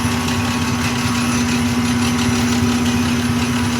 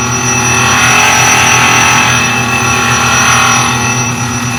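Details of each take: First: Highland Park Shaping Machine Model SM1 (1 HP motor) at slow rotational speed, shaping an earring plug: steady motor hum with clear constant tone, no scraping; wheel no longer grinding material off, everything fairly quiet, so the cut is done. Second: Highland Park Shaping Machine Model SM1 (1 HP motor), height adjusted down, slow rotation: high gritty grinding swelling and fading about every three seconds, wheel hitting at points and not at others; workpiece out of round.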